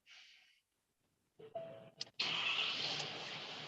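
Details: 2019 Ford Powerstroke diesel, 61,000 miles, short-tripped, at startup: loud, hissy puffing rush of exhaust escaping from the upper centre of the engine, little low rumble; suspected exhaust manifold leak.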